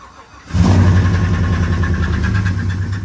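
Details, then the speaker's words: Engine starting: loud, rough, rumbling run with heavy low drone, sounding like something is coming apart underneath. "okay that's loud shutting down that's that's not good sounding at all down there I mean it's it does sound good it's nice and loud but it also sounds like something's coming apart"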